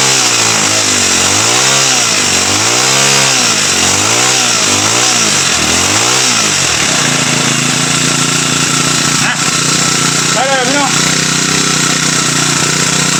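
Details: TX35 four-stroke brush cutter that would not start, now running after fitting a new carburetor, priming and adding petrol: revs up and down, then steady, even buzzing idle, running cleanly.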